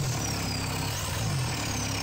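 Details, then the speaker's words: Mitsubishi Delica 4M40 2.8L diesel from a scrapyard, started outside the vehicle for the first time after wiring, fuel priming, air purging and glow plug warm-up: fires up and settles into a steady idle with an even low rumble and light clatter, running normally. "let's try cranking engine fired up and running"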